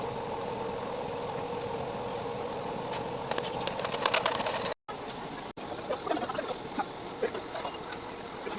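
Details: 3.0 kVA generator after full engine rebuild with new piston and rings: steady, even drone with no knocking or misses apart from two brief dropouts; running smoothly.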